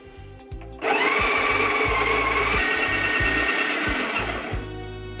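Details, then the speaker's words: Breville Smart Grinder Pro, just repaired, grinding espresso at setting 14, down from about 17–18: steady motor whine sagging slightly in pitch under load; grinder motor straining. "I'm gonna do it at grind at 14. foreign she's struggling a little bit guys"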